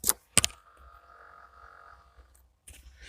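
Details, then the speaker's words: Mahindra Bolero cabin heater/defogger, heater mode selected and defogger button pressed, then switched off: sharp click, then a faint actuator whirr for about a second and a half as the defogger flap shuts; normal flap operation. "और ये आपका defogger है। यहाँ पे एक फाटक होता है, वो खुलता है। आपको मैं सुनाता हूँ इसकी आवाज़।"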